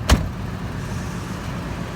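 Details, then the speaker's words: Ford Expedition V8 truck with a newly replaced alternator, started up: one sharp click, then a low, smooth, even rumble with no misses or knocks, "like a sewing machine"; healthy normal idle. "sound like a sewing machine like my uh my boys stay on uh we hustle daily there she go though"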